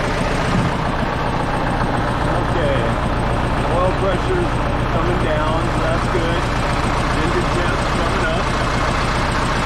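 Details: Case 188D diesel tractor just after a full engine rebuild and injection pump refit, first fire-up warming up: steady, even diesel idle with a low, regular chug, no knocks or misses; a possible fuel leak is suspected; normal idle.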